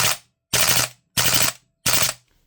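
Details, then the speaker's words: VMP2 airsoft gas gun on full auto after fitting a new reset arm to stop gas dumping: short bursts of sharp cracks, some rounds weak, slowing and not cycling fully as the gas cools, which is normal cooldown, not gas dumping. "The gas dumping problem is the failure of the knocker arm to be triggered to fall back. And that's what this fixes. You might hear there, it's getting a bit slower."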